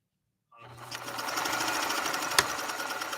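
Light, quick clicking, about three a second, over a smooth motor hum; that's just the pattern mechanism working, the machine is healthy.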